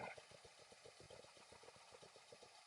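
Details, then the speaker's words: 1967 Lincoln V8 starting right up after accelerator pump began working: soft, even pulses about seven a second with no misses or knocks; oil pressure light out; normal idle. "look at this oh did you hear that it started right up"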